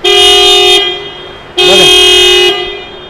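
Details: Nissan Micra horn after replacing the blown fuse and reconnecting the connector: two loud, clean blasts, the first under a second and the second about one second, with a steady bright tone; horn sounds normal again.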